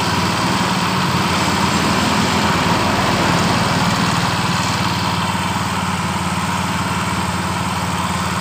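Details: Yamaha Mio Fino fuel-injected scooter that stutters when hot but runs normally cold; after the fuel pump is primed it restarts and runs smoothly with no stutter, but the idle holds fast and stays too high: high idle.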